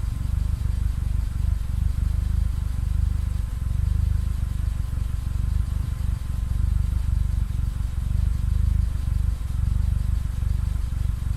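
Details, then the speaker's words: Mitsubishi Lancer EX turbo idling: lumpy uneven low rumble with dips and stumbles about four per second, constant misfire; plugs, leads, coil, cap and rotor, MAF replaced, ECU swapped, coolant and intake air temp sensors in spec, cause unknown. "another thing is I still haven't finished the running issues it's still still running terribly and constant misfire"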